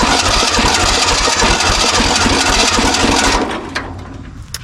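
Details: 1970s Kubota L1500 two-cylinder diesel tractor sitting about 20 years: steady cranking with faint attempts to catch, then dies; owner suspects it just needs diesel in the tank.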